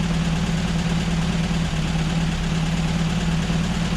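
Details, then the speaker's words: Air-cooled VW Baja four-cylinder on a cool morning, pre-warmed with a blanket heater after its spark plugs were gapped. It idles steadily and evenly at a low speed with no misses or knocks, and all four cylinders are running okay. "Well, that doesn't sound too bad. Nice, even across all four. You can hear all four cylinders are running okay."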